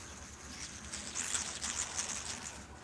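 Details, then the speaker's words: 2012 VW Jetta SportWagen TDI timing belt tensioner bearing, spun by hand: faint, dry scratching patter as it turns, rough and noisy, during a timing belt and water pump change. "make them going like this when I'm spinning it it's making a bunch of noise"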